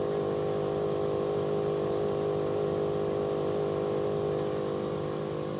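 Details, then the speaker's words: Bosch Climate 5000 split air conditioner, about three years old, running on heat: outdoor inverter unit gives a steady low hum and buzzing drone under the fan rush, casing felt vibrating; fan itself quiet, cause unclear. "there's something else making a noise on that thought is such the case I feel vibration there that's dry on the outside"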